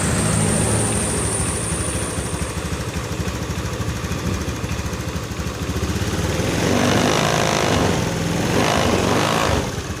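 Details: Honda Beat FI scooter engine that seized from running dry of oil, just freed without disassembly: chugs at about three uneven, sputtering beats a second with short rev bursts, running rough while oil circulates; piston scoring possible.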